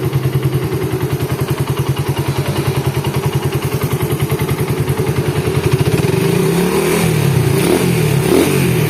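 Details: Suzuki Satria FU engine after rebuild with new crankshaft bearing, first start: even steady idle firing pulses then smooth rev rise, no rattle, clatter or rough noise from head or lower engine; normal idle.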